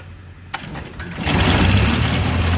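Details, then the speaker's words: IH Cub 154 Loboy tractor during clutch repair, clutch not releasing, adjusted about 0.010 in: short crank, then steady even idle with no knocks or misses; runs smooth and true. "sure does run nice and smooth and true"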